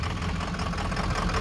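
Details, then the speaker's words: 2004 Ford F-350 6.0 Powerstroke diesel with hard start, long crank, stalling, no power and random codes: a deep, uneven idle that lumps and stumbles, rough idle. The fix done was replacing the body harness above the turbo. "so here's a video of the truck running it's running really crappy really rough and it has no power"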